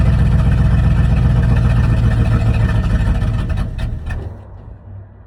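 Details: 1979 Chevrolet C30 V8 after Rochester Quadrajet carburetor rebuild: fires and runs with a steady low rumble a few seconds, then winds down; running normally.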